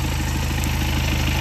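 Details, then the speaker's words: BMW idle with a light, fast metallic ticking over the firing beat, amplified 10 dB; mechanics say the tic-tic comes from the timing chain (distribuție). Timing chain rattle. "Un cârjei. Da? Ăla vine de la distribuție."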